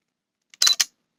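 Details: Canon EF-M 28mm f/3.5 Macro IS STM lens, bought new, on an EOS M100 in regular (not super macro) mode with continuous AF enabled: brief sharp high-pitched clicks, nearly silent with continuous AF off; possible defect uncertain; autofocus clicking noise.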